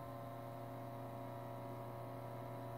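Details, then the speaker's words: 1942 Zenith 7S682 radio-phono record player drive motor with soft, sticky rubber wheels and a cracked idler, brought up slowly by voltage to about 110–120 volts: smooth, steady hum, constant pitch, no knocks or scraping; motor runs normally. "10 volts 120 volts I don't know if you can hear it ok so I'm order is good that's not going to be a problem"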